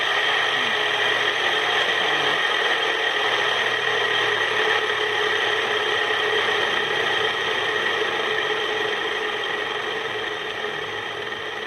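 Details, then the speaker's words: Ceiling fan about a month old, rusted after water got inside: harsh grinding whir with steady ringing tones from bad 6201 bearings, later replaced. "pessoal esse aqui é o barulho do ventilador com os rolamentos ruim tá"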